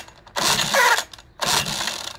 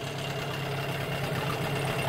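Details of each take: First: 1988 Johnson Evinrude 6 hp short-shaft outboard in neutral, which had been running a minute then stalling: six rope pulls, each a brief whirring spin with no pop or catch; cranks, no start, suspected choke or primer/fuel problem, unconfirmed. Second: 1988 Johnson Evinrude 6hp short-shaft outboard after replacing the plastic-top carburetor, which caused run-then-stall, plus a water pump impeller repair: steady even idle buzz, no misses or surging; runs like a champ.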